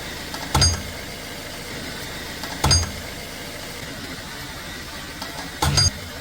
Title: 2018 Volkswagen Tiguan Suspension Noise from Front Left #vw #tiguan